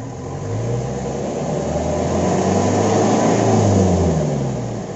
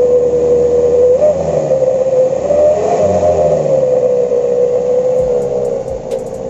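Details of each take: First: Mitsubishi L300 pickup diesel with an online-bought wolf whistle exhaust tip, before rebuilding it: revs up and settles with plain exhaust drone and no whistle. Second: Mitsubishi L300 pickup wolf-whistle exhaust, after its funnel diameter was changed and the funnel shortened: a clear mid-range whistle rises and falls with each throttle blip. The whistle now works.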